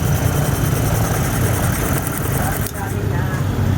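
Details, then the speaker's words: Engine after correcting a rocker arm installed backwards, which had caused hard starting and misfire: steady, even low engine note with no misses or tapping; runs clean and smooth. "All goods na siya mga master. Walang palya yung andar. Then goods na. Yan. So wala nang ingay. Wala na lahat."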